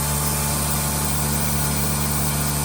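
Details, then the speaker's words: Mercedes 190D drag car with OM606 swap, newly fitted Bosch 044 electric fuel pump priming, engine off: loud steady constant-pitch electric hum; pump priming normally, just loud (a fuel leak from missing clamps followed). "So now we're going to see if it primes. I'm actually very curious. Never had a electric fuel pump on one of these."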